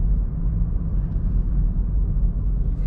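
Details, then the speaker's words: Chevy Cruze rear suspension after WD-40 fix for creaking, driving slowly over speed bump at an angle so it twists: only steady low road rumble, no creak or groan; normal rear suspension. "take it sideways so it can twist. It didn't make any sound, and I can't believe that's fixed it."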